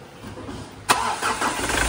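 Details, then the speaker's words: Ford Everest after fixing the loose washer on the hydraulic timing belt tensioner: quiet background, then a crisp crank and catch into an even, steady idle with no slapping or rattling; rattle gone. "Uy! Tunog Everest na. Tunog Everest na. Hindi na maingay."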